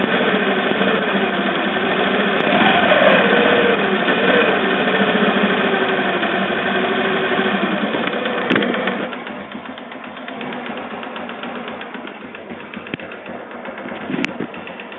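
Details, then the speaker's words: Motorcycle engine run out of oil, since refilled, mic placed near the engine: rough, steady kletek clatter at idle with white smoke when revved; mechanic says the piston is scored, suspected piston slap, to be confirmed on teardown. "Ada bunyi kletek-kletek dan ketika digas di sini ngasap putih."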